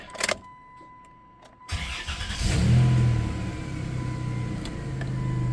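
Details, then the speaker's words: 1994 Chrysler Town & Country AWD, after a vacuum-leak fix and transmission service with fluid overfilled cold: brief quiet, then it cranks, catches and settles into a steady, smooth idle with no stumble or hiss. Runs better now. "Sounds a lot better now. It runs better now that I fixed that vacuum leak."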